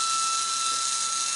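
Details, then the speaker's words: Slot car after a motor change, powered briefly from a power supply by crocodile clips: constant high motor whine with a gritty hiss at steady speed from rough pinion-to-crown gear mesh, to be adjusted later. "sounds a little bit rough at the moment but that can easily be sorted out later on"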